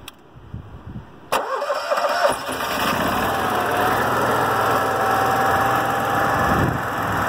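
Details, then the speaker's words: Onan RV QG 5500 EVAP generator at about 560 hours, just after fuel filter replacement, fuel pump heard priming: cranks briefly, catches straight away and settles into a steady even hum; normal start and idle, no leaks. "well we got ourselves all connected up let's go ahead and fire up the genset see how she does"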